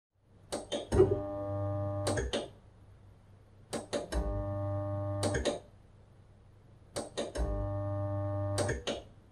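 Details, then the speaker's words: Dishwasher idle for a long period; three bursts of steady low electrical hum, each about two seconds with a click at start and stop, as the single-phase wash pump motor gets power but limescale has seized its shaft; seized wash pump. "este motor no nos está funcionando porque al tenerlo tiempo parado la cal nos ha bloqueado el eje"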